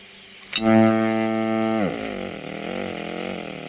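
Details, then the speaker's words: EWM Tetrix XQ 230 puls AC/DC TIG welder with Active Arc: sharp strike, then steady buzzing arc settling to a soft, wavering hum with occasional small arc clicks of unknown origin; normal operation. "Vous voyez, on entend quasiment plus de bruit. C'est vrai que des fois, je sais pas trop pourquoi, mais on entend des petits cliquetis de l'arc."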